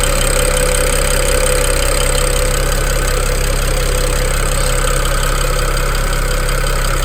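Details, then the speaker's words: BMW 335i N54 petrol engine at idle, JB4 and dual cone intakes (more engine noise heard), light quick ticking about three per second over an even idle; normal injector tick from fuel pressure, healthy engine, injectors not bad. "This is a really healthy N54 engine noise. Now, just because you have that ticking noise doesn't mean your injectors are bad."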